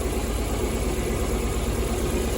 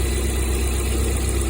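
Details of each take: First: Lada Priora four-cylinder, key on, tester at the injector connectors: one cylinder has no injector pulse (ECU or broken wire suspected at first); uneven, lumpy idle of about three pulses a second; single-cylinder misfire. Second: Lada Priora after repair, fault traced to the gas (LPG) system wiring, gas disconnected from the ECU and injector wired directly, good pulse on tester: steady, even, low idle with no misses, knocks or hunting; normal idle.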